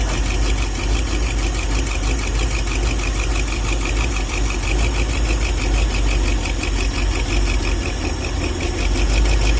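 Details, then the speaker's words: 1978 Ford F150, restarted after a sheared roll pin in the distributor drive gear was fixed, distributor (which drives the oil pump) reinstalled: rough uneven idle with an irregular knock about three times a second; oil pressure present; noise unidentified. "She's obviously very unhappy. And I'm surprised it's actually still running"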